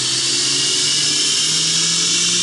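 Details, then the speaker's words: Belt grinder with a prototype center-tracking assembly and small drive wheel, running in reverse; this frame previously ran poorly in reverse. Steady high belt hiss over a constant motor hum, no knock or flutter; runs as well as forward. "runs in reverse as good as it does forward i love it i love it love it love it"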